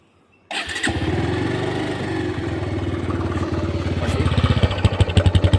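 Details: Bajaj Pulsar 150 motorcycle hard starting: starter catches and the single cylinder fires unevenly, stumbling and surging with irregular pulses before settling; cause unclear.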